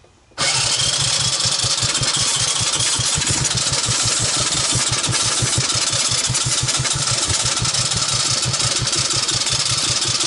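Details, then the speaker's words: 1984 Honda ATC200ES with low compression (under 30 psi dry, 60 wet), cranked on the electric starter with a portable CDI box: even cranking for ten seconds, fires once and never catches; a no-start. "starter she kind of fired once and that was that"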